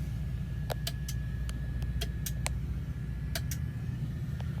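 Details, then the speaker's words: Truck sleeper cab main light fitted with new fluorescent-style LED bulbs that won't light: sharp irregular clicks from the fixture, suggesting power reaches it, over a steady diesel idle rumble. "don't know if you can hear that or not but there's a clicking like there's a"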